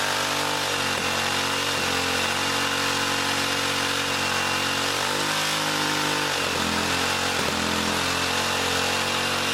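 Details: 1959 military single-cylinder engine run off a fuel line dropped in gas: runs fast and rough, speed surging and dipping instead of idling; bent governor rod binding or governor faulty despite loosening and straightening; governor to be eliminated for mini bike use.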